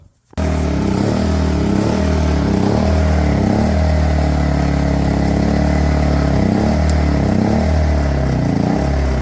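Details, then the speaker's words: WEN inverter generator in Eco Mode, oil checked, engine burns a little oil, smooths only with partial choke; idles roughly, drone dipping and swelling about once a second. Owner suspects a carboned-up spark plug; rough idle with surging. "got a little issue with the wind inverter generator when it's uh when you try to put it down in the Eco Mode it wants the idle rough I'm going to guess it's a spark plug but we're going to find out"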